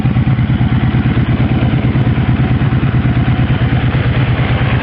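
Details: 1984 Honda V65 Sabre V4 motorcycle, low mileage, crashed at very low speed, idling at about 750–800 rpm: steady low burble with even pulses, no misses or ticking; the engine idles smoothly and healthily.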